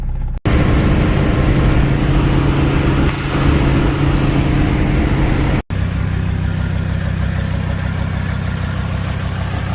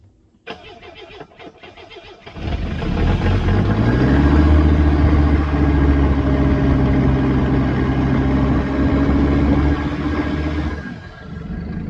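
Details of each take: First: Mercedes OM617 diesel after DIY injector and glow plug replacement and valve lash adjustment, old injectors about 300,000 miles overdue, started after a 5-second glow instead of 30: steady even diesel clatter over firm low rumble, no misses; running better than ever. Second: Mercedes OM617 diesel running on waste motor oil, with injectors 300,000 miles overdue for replacement, started on starting fluid. It cranks, catches and settles into a lumpy, uneven beat around 220 a minute with blue-white smoke. It runs rough from fouled injectors, before injector and glow plug replacement.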